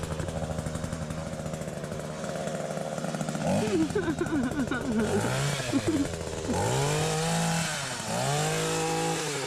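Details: Electric hedge trimmer after repacking its empty gearbox with grease: motor buzzes evenly, revs up and down with clean tone and no metallic grinding; earlier grinding resolved.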